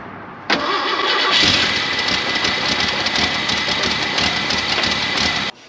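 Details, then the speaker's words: Jeep J-10 with swapped-in Ford 300 cubic inch inline six and five-speed manual, after starter repair, running off a weak battery clipped in: starter cranks briefly, engine catches at once and settles into a steady, even run with no misses; normal start and idle. "there we go starter's fixed that sounds better than ever has at least since i've owned it"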